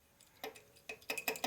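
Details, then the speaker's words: Part drilled during 1999 80ci Evo chopper rebuild; light bright metallic ticks in irregular bursts as part is moved: broken-off carbide chip loose inside partly drilled hole, bit not cutting. "Feels like a piece of carbide broken off in there. How would that happen? Ah. Through. No, there's a little piece in there."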